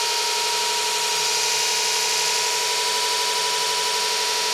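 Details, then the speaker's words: Custom motor controller on electric bike (ME-1003 motor, ~80V LiFePO4), buggy current-setpoint code bypassed with a fixed value, throttle up: steady, even high-pitched whir at constant speed, no surging or roughness; motor running smoothly at full speed. "like she's running full speed sounds pretty good"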